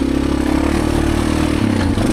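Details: 1987 Honda Fat Cat 200 trail bike, revived after sitting 15+ years, on a final ride: steady, smooth engine drone on the move with no misses, rattles or knocks; runs healthy.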